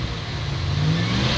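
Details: 1963 Dodge Dart, 225 slant six, sat 7-8 years, finally started after cranking: catches and holds a low steady roar, pitch rising smoothly as it revs; running normally.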